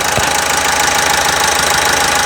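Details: Opel Astra J 1.6 CDTI diesel at idle after timing chain replacement: steady, even clatter with fine regular ticking and no extra knocks or rattles; engine sounds healthy.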